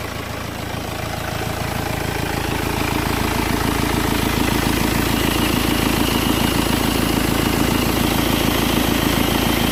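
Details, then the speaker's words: 2008 BMW X3, believed 2.0 litre diesel, idling after refitting a pipe that came off because its clip was fitted backwards. Smooth, even clatter, no intake hiss or whistle; sounds way better, normal idle. "Yeah, definitely sounding way better, completely different. Yeah, that's good."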